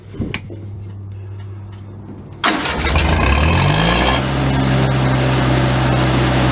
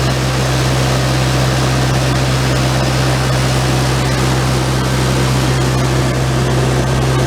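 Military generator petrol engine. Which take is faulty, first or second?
second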